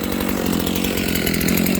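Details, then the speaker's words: Stock Dolmar 7300 chainsaw near full throttle, high jet opened fully to the limiters; high tight slightly screaming tone, no burble; owner thinks it sounds a little lean, unconfirmed; possible lean high-speed running. "I literally just opened the high jet as far as it'll go with the limiters. That sounds a little lean to me. How about you guys?"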